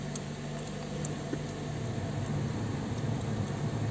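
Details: 2010–2014 Toyota RAV4 idling after water pump replacement and coolant refill, being warmed up to temperature for bleeding. Steady, smooth low idle hum, even note, no knocks or misses. Normal idle.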